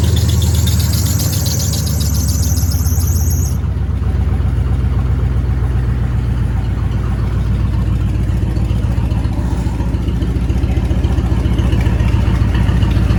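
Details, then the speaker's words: Ford Maverick after flipping the IAC valve back to its original orientation, which cured the high idle: engine catches quickly and settles into a low, steady, even idle with no hunting; normal start and idle. "But everything seems to be working good. Just like I said, it starts right up now."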